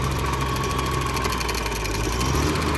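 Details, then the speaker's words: Generac 50 kW propane generator bought at auction, propane plumbed straight from the tank through the regulator, warming up and cycling: steady, even idle with a fast regular firing beat and no misses, normal warm-up. "i'm letting it get a little heat in it cycle a little bit"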